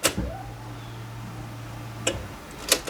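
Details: Four-injector engine after the fuel lines and connectors were refitted, key-on prime with no leaks or spray; a click, then a low, even buzz for about two seconds and another click, a normal fuel pump prime.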